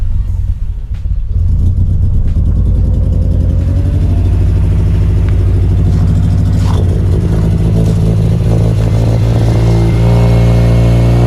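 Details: Mazda RX8 231 race car with a new custom 3-inch exhaust, first start: cranks and catches fast, then settles into a deep, loud, even burble with no misfires; a healthy rotary start and idle.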